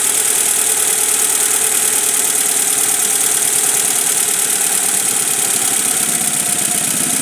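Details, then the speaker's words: Car with two ignition coils, one giving no spark, no engine light, after a long trip: idle stumbles with irregular dropped beats and sputtering; misfire from dead ignition coil. "nah ini ya beri memang itunya apa namanya kuilnyailnya yang mati kalau cabut cek lagi kalau ini benar-benar enggak nyala"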